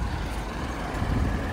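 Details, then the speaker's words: 2013 Mini Cooper S R56 engine bay at idle: steady even hum, no knocks, rattles or funny noises; healthy idle. "But as you can hear, it's ticking away nicely, no funny noises, and it's all nice and clean."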